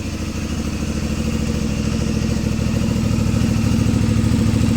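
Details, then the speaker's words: CFMoto 450 MT at about 4,767 km, after repair of a failed cam chain tensioner that made the engine very rough: steady, even exhaust pulses at idle with no harsh clatter, rising slightly. Cam chain sounds quiet and healthy. "Sekarang suara knalpot sudah terdengar lagi, Teman-teman. Beda jauh sekali kan, Teman-teman, dengan sebelum direkondisi, sebelum diperbaiki."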